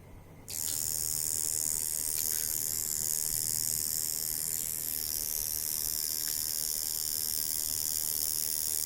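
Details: Jaguar Beast coil tattoo machine at about 4 volts, spring tension around 300–310 grams after tuning, gives a steady, high, even buzz with no stutter or skipping; running smoothly and well tuned.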